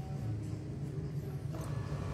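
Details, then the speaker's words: Denpoo twin-tub washing machine, wash motor test after repairing a seized, broken motor (dinamo): steady low hum, even drone, no scraping or knocking, turning to the left; runs smoothly after the fix. "Oke, sudah muter ini teman-teman, itu muter ke kiri ya."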